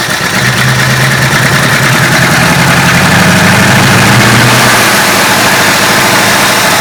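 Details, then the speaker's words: 1966 Ford Country Sedan, 390 FE big block with performance cam and used heads: loud slow, heavy, slightly uneven lazy lope, smoothing when revved; owner suspects retarded ignition timing. "Kind of sounds like it could be a little lazy on the timing."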